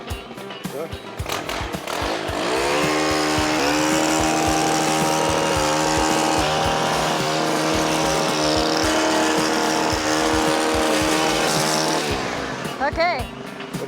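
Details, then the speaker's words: Stihl FS 91 two-stroke weed trimmer after an overdue tune-up with a new spark plug and the idle turned up. It holds a steady, even buzz at raised speed without surging or dropping out; no longer sounds like dying, running healthy. "It's working much better. It's healthier. It doesn't sound like it's going to die."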